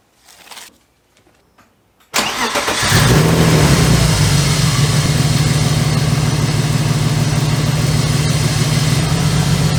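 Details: BMW after new NGK BKR6EQUP spark plugs and Bremi coil packs: the engine cranks, catches and settles into a rough, lumpy idle with an uneven beat, the misfire worse than before; the owner suspects engine damage and plans a compression test.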